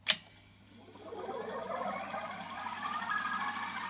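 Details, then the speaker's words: Revox A77 MkII Special Edition reel-to-reel tape recorder, after brake band work: soft whirring rush climbing steadily in pitch as the reels speed up, with no scraping or squeal; healthy rewind. "I love that noise. I really love that sound."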